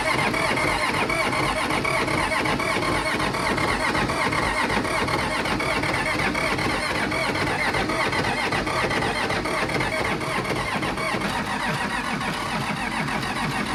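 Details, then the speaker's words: 1959-60 Allis Chalmers D17 Series 1, sat at least 10 years, with a new fuel pump, a new battery and unbled lines: continuous rough cranking with no clean catch, something sticking. Finding: hard starting, cause unconfirmed. "So it was kind of sticking, something hanging up when we're trying to start it."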